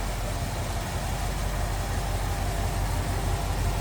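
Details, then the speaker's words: 1973 Ford F-100 Explorer regular cab, 360 V8 idling pretty smoothly in the engine bay: deep, steady burble with an even firing beat and no knocks, ticks or misses. Normal idle. "Here's a good look at the engine bay. 360 idling pretty smoothly."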